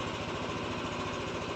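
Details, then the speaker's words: Yamaha NMAX V3 155 scooter, 9,500 km, about 6 months old, running after burnt stator (error 12) repair and FI scan; traction control off for testing: quick, even idle with no misses or knocks; healthy. "Okay. NMAX B3 umaandar na."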